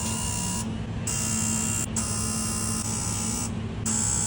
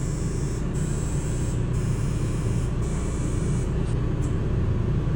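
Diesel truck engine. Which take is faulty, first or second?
second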